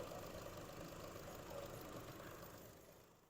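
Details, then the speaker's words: 2012 Chevy Cruze LTZ turbo idling after refrigerant was added to the air conditioner, which is blowing cold. A fairly regular light tick about four times a second over the running noise; the owner does not know what the noise is. "I don't know what that noise is but I'm telling you what this going to drive me crazy I'm might have to find out what that is"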